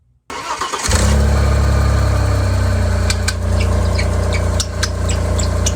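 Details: Engine on first start after a new serpentine belt tensioner was installed: catches and idles with irregular sharp chirps and ticks, caused by a fitting mistake with the tensioner.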